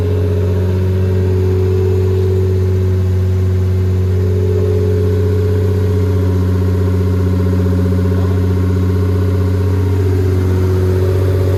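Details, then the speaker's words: SC300, bought for $600, idling and light revs after first start-up with no resonator: loud deep steady exhaust drone, smooth pitch rises, no misses or knocks; engine runs clean. "I literally just came here just wanted to hear the car start that was super exciting it didn't skip a beat"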